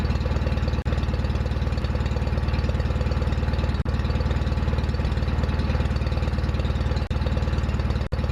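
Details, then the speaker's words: John Deere 316 tractor after full restoration: engine started to demonstrate, steady even low thump about three beats a second with no misses or knocks; normal running, sounds good. "so what I'm going to do at this point is start up the RoR so you can hear what it sounds"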